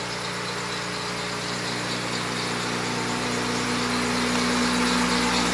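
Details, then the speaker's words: Acura RSX Type S, not started in months, bought for an engine swap: starts first time into a smooth, even idle with steady low drone, no knocks, ticks or misses; motor sounds healthy. "car hasn't been started in months yeah we know we got to get rid of all of that kind of rough on that side but the motor sounds healthy"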